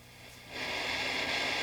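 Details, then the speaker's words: Hand-wired 1955 tube radio barn find, powered up after a 20-minute warm-up on full AC line, no antenna connected; quiet hum, then a steady hiss swells in as volume comes up; normal receiver static hiss, set receiving. "Oh, that's a good sound. That's the sound of reception. No antenna."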